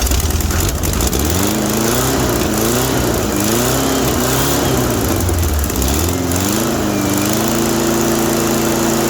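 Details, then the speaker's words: 1974 VW Baja, air-cooled engine, first start after a new universal fuel filter, battery installed and gas poured into the carburetor bowl: raspy idle rising and falling with throttle blips, then settling steady; it runs, though fuel is seen leaking below. "I guess it runs. Well, I guess that answers that question. It starts now."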